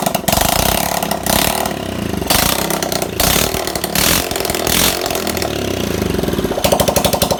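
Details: Carbureted single-cylinder bike that would only start after oil was put in the plug hole, low compression likely from valves, after repair: fires up and revs crisply with quick even pulses, loud with no exhaust fitted.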